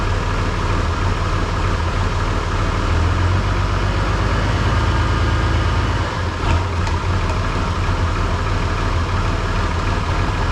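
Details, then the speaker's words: Oliver 1650 diesel tractor, after clutch work and moving the throttle link back to the correct hole: low, steady rumble at a corrected idle speed with no hunting or knocking; normal idle. "I moved that throttle link back to the right hole, correct hole. You had more fuel in that a moment ago. There, that's more of a correct idle speed."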